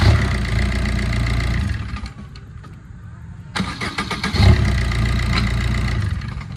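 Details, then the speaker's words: 2010 Maruti Swift, 102,000 km, shut off and restarted hot after timing chain repair for late starting (P0340 cam sensor fault): fires promptly, settles to even smooth idle; starts healthy now. "அந்த late ஸ்டார்டிங்கோட complaint வந்து பார்த்தீங்கன்னா timing செயின்னால தான் வந்தது. அதனால தான் நான் இப்போ உங்களுக்கு இந்த மாதிரி ஆஃப் பண்ணி ஸ்டார்ட் பண்ணேன்."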